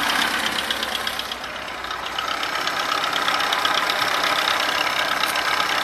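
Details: VAZ 21011 engine at steady idle with a loose, fairly regular knock, roughly 160 a minute; internal engine knock, source not pinned down.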